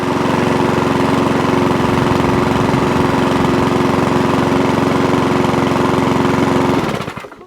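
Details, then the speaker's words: Old Mountfield 414 mower after its carburettor main jet, damaged by an earlier removal attempt, was sorted: it starts from cold and holds a steady, even governed speed without surging, then shuts off cleanly. It runs healthy. "yeah that's better a flash you hear that so now it runs start stops fires from cold because we're getting the right amount of fuel through"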